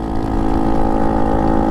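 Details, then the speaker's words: Honda Monkey 125 in heavy rain with its Tenshi exhaust snapped and held on by one bolt: a loud, blatting idle with a hard, raw exhaust bark from the broken, leaking exhaust. "that's really loud and now that the exhaust has been held on by one Bolt"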